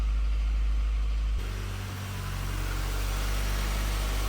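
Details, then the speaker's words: BMW E30, over 30 years old, revived after six years standing and losing coolant, started again after sounding bad the day before: catches and holds a fast, steady idle that never drops; idle far too high, cause not yet known. "Ja, dreht trotzdem nicht gut. Ja, dreht sehr hoch."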